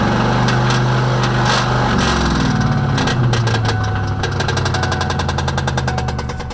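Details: 1998 Ford Mustang GT: heavy, uneven knocking through the engine note that slows as the revs fall. Owner suspects rod knock or a broken clutch; cause unconfirmed.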